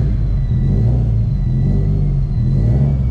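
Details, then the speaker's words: 2007 Subaru STI Limited, built 650whp turbo engine, warming up before an oil change (warm oil pressure about 35): deep, even engine rumble with a high turbo whistle, very loud. Revs are steady and clean, normal running. "not sure if you guys can hear the turbo right now but it is insanely loud in here"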